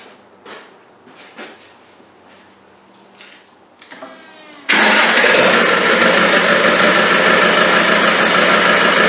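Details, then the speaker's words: Land Rover 300Tdi diesel, freshly rebuilt, first start-up at idle with no turbo hose, no belt, alternator or power steering pump fitted: quick regular chirp, about three to four a second, from the front as the shield behind the main pulley catches the aluminium housing. "There's a bit of chirping coming from the front. I realise it's the shield just behind the main pulley is catching on the aluminium on the housing."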